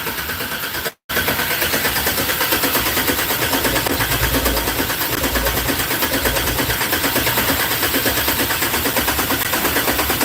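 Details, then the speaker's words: 1964 GMC truck, fuel-injected, on its first start attempt after new injectors, a thick body ground and a pipe added to the header for the O2 sensor: steady cranking with ragged sputters. Opening or covering the throttle gets it almost there, but it never fires. "I tried opening the throttle and then I tried covering the throttle okay to change how much air it's getting it's almost there"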